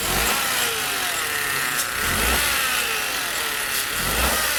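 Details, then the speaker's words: 2017 Peugeot 208 1.2 three-cylinder, customer complaint of an engine noise that started faint and grew louder: raised engine runs with a steady high whine over hiss, rising and falling with revs, loudest at the engine front. "A impressão que dá, o barulho está muito forte aqui na região frontal do motor."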